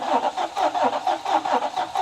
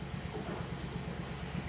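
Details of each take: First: 2017 Nissan Titan 5.6L V8, about 164,000 miles, losing half the engine: cranking compression test on one bank with even, steady beats reads 200 PSI, which is normal. A mechanical issue is suspected elsewhere. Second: 2017 Nissan Titan 5.6L V8 at idle: low, lumpy, stumbling exhaust beat. Mode 6 data shows misfires on the odd bank and none on the even bank, so one side of the engine is at fault despite parts already replaced.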